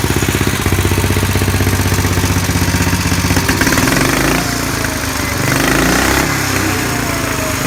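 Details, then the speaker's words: 1959 Cushman Super Eagle single cylinder with a badly leaking carburetor chugs at about four beats a second, then falters and wanders as if fuel-starved and can't keep running. Fuel lines, petcock, filter and a carb clean are planned. "and that was partly because it was leaking so much fuel I couldn't keep it running"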